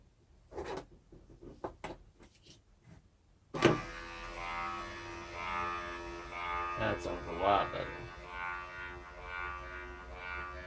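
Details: Junkyard 2011 Acura TSX window regulator, bench-tested after cleaning, unlocking the seized motor and regreasing: clicks, then a steady even motor hum with no grinding or labouring. Window motor runs normally after repair.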